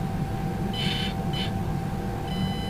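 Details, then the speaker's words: Axial SCX24 with the C10 ESC back in place, bench test at light throttle: faint steady high ESC whine with a few short beeps, fairly quiet, before wheels engage. "there's the wine and it that wind continues you can just hear it it's fairly quiet there like it's not too bad there"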